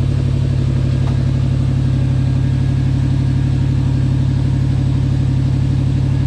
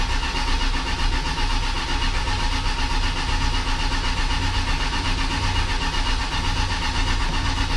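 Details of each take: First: 1979 Lil Red Express truck just started after six months of winter storage, warming up: deep steady V8 rumble with even regular pulse, no knocks or ticks; healthy idle. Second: 1979 Lil Red Express truck, first crank after six months of winter storage since November, 15-year-old Interstate battery, about 55°F and chilly: steady labored cranking at about two turns a second without catching; starter turning slowly.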